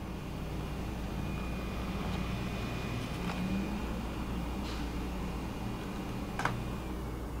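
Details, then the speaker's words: Wacom Cintiq Companion 2 in OS X with Photoshop open: soft, steady fan whoosh with faint constant hum at the second fan level, no rattle or grinding; cooling fan at medium speed. "let me open up Photoshop it's kicked up to about the second level"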